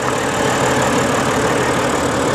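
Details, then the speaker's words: Auction car with straight-six engine: loud rough idle with uneven stumbling beat; cause not determined. "let's start it [Music] up oh misfire uh-oh yep check engine light missfire"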